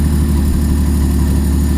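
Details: Nissan S13 with 400hp RB25 turbo engine and Power FC, first start after finishing intake manifold work: deep, loud, steady idle with an even low pulse and no knocks or misses; normal idle.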